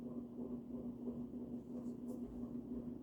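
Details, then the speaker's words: June 1984 Evergo 52" hugger ceiling fan, model 4E-6LW P35, orange cast-iron motor, on high: steady low hum with a faint pulsing buzz; cyclic motor buzz, owner suspects slightly out-of-round motor, worse on lower speeds. "And that's why these were all noisy. They're probably just all a little bit out of round, because it does have a bit of a cyclic buzz."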